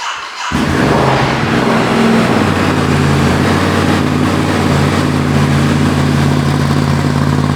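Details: Ducati Desert X twin after a service with oil change, air filter refit and Arrow decat exhaust installed, first start in neutral: engine catches after a brief crank and settles into a steady, even twin-cylinder idle with no knocks or misses.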